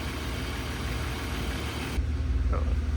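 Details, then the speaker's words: Peugeot 106 GTi track build, engine warmed up and oil checked, restarted and idling a couple more minutes on old petrol: steady, even low idle with a soft regular pulse, earlier ticking now completely gone; normal idle. "Turned it back on. Let it run for a couple of minutes more. And now you can hear the ticking noise is completely gone."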